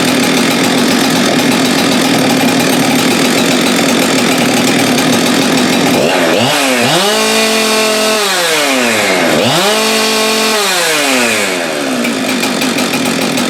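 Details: Husqvarna 372XP X-Torq chainsaw repaired for a failed PTO-side main bearing: it settles at idle, then twice revs cleanly to full speed and drops back evenly with no stumble or rattle. It is running healthy.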